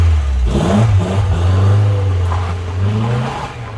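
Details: Rover 216GTi with an ongoing running fault, revved during troubleshooting: revs rise and fall unevenly with wavering stumbling note under throttle, unchanged; rough running, cause not yet found.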